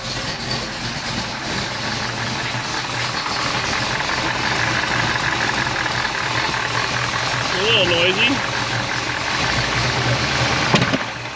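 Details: 1956 Chevy wagon with tunnel-rammed big-block, first start after sitting all winter in a snow bank: rapid light tick over a lumpy idle, steady with engine speed; sounds like an exhaust leak but unconfirmed.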